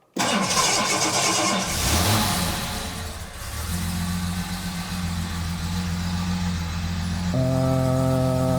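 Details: Jaguar XJ6 daily driver with a bad oil leak, started after an oil change: catches after a short crank and settles into a steady, even idle with no knocks or ticks; oil pressure builds, no leaks.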